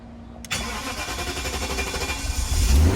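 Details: BMW 740i V8 after repair of no-crank, no-display, battery-light fault (wiring/damaged EMS, valve body removed, modules reprogrammed): starter catches in half a second, engine fires cleanly and settles into a firm, even run; healthy start.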